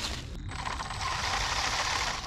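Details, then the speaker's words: Traxxas 1/16 E-Revo VXL RC truck with new center diff, shimmed diffs, driving: rapid even ratcheting click on the motor whir; gear clicking from pinion/spur mesh too tight, loosening it quieted it. "the mesh is a little too tight i'm gonna go loosen the mesh up a little bit that sounds a lot better doesn't it"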